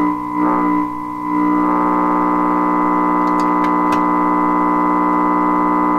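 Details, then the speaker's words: 1928 RCA Victor Model 28V radio under restoration, tuned to 550, now receiving broadcast stations: a loud steady buzzing hum with stacked tones sits over the faint station and does not change; its source is still unknown. "Why the god-awful noise with it? The radio's working here."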